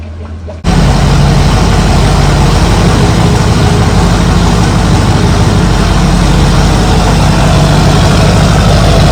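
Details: Duramax diesel truck, after an oil leak repair and coolant refill, idling outside to check for leaks after a cold start while warming up: a deep, steady diesel clatter with nine-blade fan whir. The idle sounds healthy.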